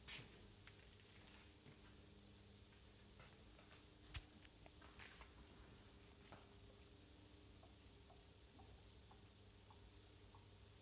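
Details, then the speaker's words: Ninja coffee maker that stopped brewing after a few seconds with five beeps, after being turned upside down to drain air from the water lines: quiet sizzling and scattered pops over a low hum as it brews steadily. "it's brewing let's give it a few seconds see if it keeps going it looks good"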